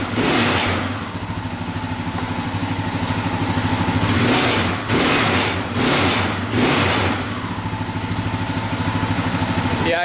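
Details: Yamaha Raptor 660R single-cylinder revved up and down, with a loose, tinny rattle that follows the throttle. Suspected skid plate, and a bolt was then found missing from the skid plate.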